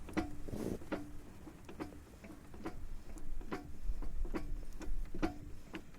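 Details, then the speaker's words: Front-wheel-drive car on jack, inner CV joint turned by hand: sharp dry clacks about twice a second heard directly from the gearbox, not the clutch disc; worn differential backlash. "вот теперь я беру беру за эту гранату и прокручу кусок этого вершина и мы слышим стуки стуки конкретно можно даже укол вот я слышу стук и прямо с коробки"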